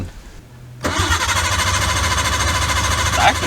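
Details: R32 Nissan Skyline that will not start, after replacing relays and fuses: the starter spins the engine in a steady fast churn of about 3.5 beats per second but it never catches; the cause is unconfirmed.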